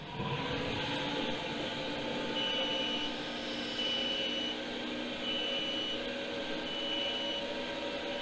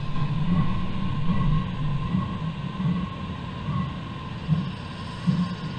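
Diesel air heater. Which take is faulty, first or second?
second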